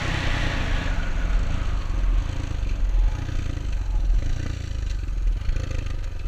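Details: Honda XR200 single on its first test ride after a full transmission rebuild and other new parts: deep, steady thump under load, smooth pull through the gears, no knocks or gear whine; healthy, rider says everything felt smooth.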